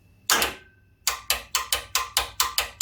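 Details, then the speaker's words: WARN VRx45 winch, known-good contactor block, cable bunched on drum, momentary spool-in: sharp repeated contactor clicks with only slight motor movement; cause not yet confirmed before teardown. "okay we can hear the contacts about clicking there was a small amount of movement which I'm very surprised about"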